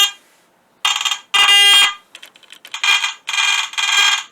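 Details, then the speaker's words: Garrett AT Gold metal detector powered up, headphones removed, before coil removal and teardown: harsh high-pitched tone bursts starting and stopping at random with nothing swept, erratic false-signal chatter; cause not yet found. "I'm gonna try to once and for all stop that chatter so anyway what I'll do actually first is I will try to get this thing fired up here for you and we'll see if we can hear the chatter together"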